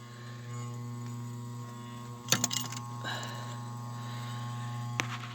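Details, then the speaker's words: Hardy H2 boiler damper blower motor, calling for heat: steady low electrical buzz with no airflow as the damper opens but the seized fan won't turn; bearing previously squealed dry and needed hand-starting; motor replaced. "if i plug this up the electromagnet is going to jump up the lid is going to open but the fan is not going to turn"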